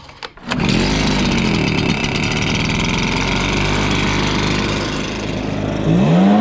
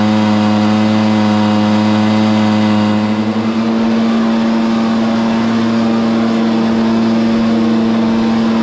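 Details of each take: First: Stihl BR430 blower bogging with no power, after carburetor cleaning and filter refit; two-stroke catches and revs but surges and wavers at top speed, lean fuel starvation, high-side adjustment screw limited by limiter cap. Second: Stihl BR430 leaf blower, after a bogging fix (carburetor cleaned, high-side limiter adjusted): a strong, steady high drone held at full throttle with no bogging or surging; normal full-throttle run.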